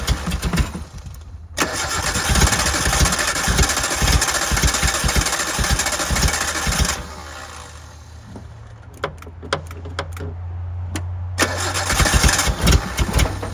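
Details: 1988 Suzuki Samurai parked since the late 90s, fed from a gravity-feed temporary tank: cranking catches in uneven bursts, then falters and dies while being given gas; owner suspects it struggles to get fuel. Stumbling start.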